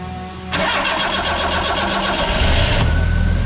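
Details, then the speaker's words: Yugo Sana GL after new fuel line, new spark plugs and confirmed healthy spark: starter whirs briefly, engine catches and settles into steady even idle; first run in 20 years, normal start. "And there we go. First time in 20 years it's run. And it sounds fantastic."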